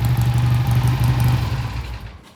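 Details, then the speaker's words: 1967 Triumph twin after pilot jet cleaning, rolling away: smooth, even beat fading with no misfire or rattle; shifts and accelerates smoothly, normal running. "This is one of the smoothest running bikes we've ever had. I mean, she shifts up and down smoothly. Acceleration is beautiful."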